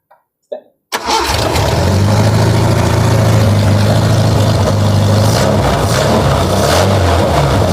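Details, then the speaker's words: Nissan Vanette engine with newly fitted B310-spec extractor header and serviced carburetor, during carb tuning: loud, raw, deep blatting roar at fast idle with lower exhaust disconnected and unmuffled. "Tengok ekzos bawah tak sambung lagi ni. So bunyi dia akan macam bunyi Mustang Poyor lah."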